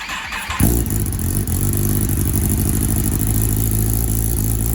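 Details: Wrecked 2021 Kawasaki ZX10R being rebuilt, first start after refuelling and a fuel pump gasket, exhaust view, in Rain mode, tune still pending: it fires and settles into a fast, slightly uneven idle with a lumpy exhaust note. Rough running, cause unknown.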